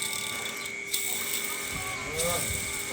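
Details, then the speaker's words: Honda Beat FI 2022 scooter, sludged engine, bearing removed, cleaned and hand-spun: dry, gritty rattling whirr, very rough instead of smooth; causes rumbling in automatic scooters, heard from the handlebars; replaced. Rough worn bearing. "putar itu suaranya kasar banget lah. Ini yang menyebabkan gemuruh pada semua motor matic."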